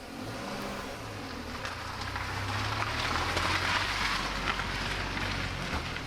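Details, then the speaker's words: MINI R50 after gearbox and clutch repair fixing a bell-housing rattle (tube replaced), driven outside: low, even engine note pulling away without misses or knocks; slight squeak at the back, owner suspects dry suspension; running smoothly. "And she seems to be running quite smoothly."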